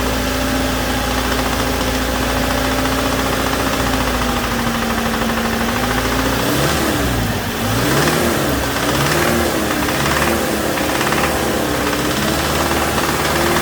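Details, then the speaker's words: 2007 Toyota Tacoma 2.7 four-cylinder held at raised rpm from the cab, cylinder 1 fuel cut giving a double knock; sharp bottom-end knock following engine speed; teardown found a spun connecting rod bearing. "so now it's got a double knock when i kill number one cylinder but it definitely seems to be related to number one"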